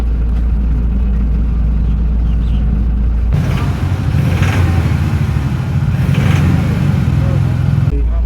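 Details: Toyota Hilux 1GD diesel with knocking and black smoke: clatters at idle, then revs with a harsh rough knock; two injectors stuck open are overfuelling it.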